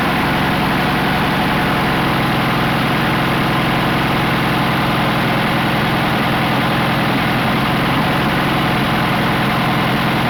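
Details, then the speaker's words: 1980 Dodge D150 six-cylinder petrol just fitted with a Dakota high-torque mini starter: steady but slightly fast idle with a busy beat; owner plans to turn the idle down. "Dakota starter in now's see how it works all right so idle seems a little high right now see if I can't turn it down a little bit"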